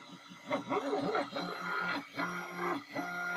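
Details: Anet A8 3D printer printing spool-axle parts is quiet, with short stepper whines and chirps as the head shifts and a rumble underneath; the motion parts, likely the bearings, are suspected.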